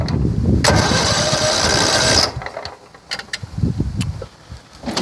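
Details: Riding mower with snow plow, suspected blown head gasket, carburetor already changed, sometimes knocks: cranks and catches briefly, roars unevenly about a second, then stumbles into ragged irregular chuffing and won't run.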